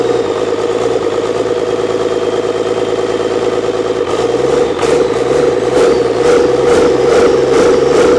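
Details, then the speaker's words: Old 12-valve Cummins diesel stored for almost a decade, first start after freeing a seized fuel solenoid, not hooked to anything. Clatters at an uneven, slightly high idle, then speed surges up and down; idle not set properly. "oh let me let me hold over here first oh [ __ ] idle's not set properly either"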